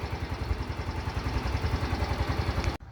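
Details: Yamaha Grand Filano scooter, brought in for hard morning starting, right after a valve clearance adjustment: steady exhaust pulses at about three and a half per second with no valve clatter; normal idle.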